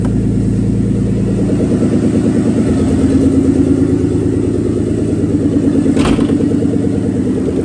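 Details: Nissan 300ZX Z32 twin turbo, first start in a long time, no exhaust, no coolant: a loud open-pipe idle that mostly runs even with an occasional skipped beat. Intermittent misfire, cause unconfirmed; the plugs are the same ones as before except one.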